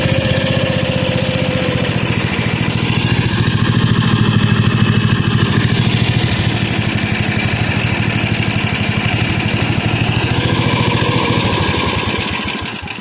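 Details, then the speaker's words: 1977 Bolens G10 single-cylinder running at steady speed with a loud, lumpy, uneven thump. The carburetor needs more than a rebuild: it could use a throttle shaft and bushings. "Um, the carburetor needs a little bit more than rebuilt, though. It could use bushings and the throttle shaft."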